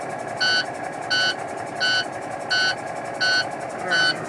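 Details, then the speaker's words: Truck air brake system: sharp, even low-air warning beeps about 86 a minute over a quiet idle; secondary air builds but primary doesn't, caused by the air dryer purge valve sticking open so the system can't build or hold pressure. "having some trouble with my air on this truck see the secondary air is building up but the primary air isn't that noise you hear it's the warning from low"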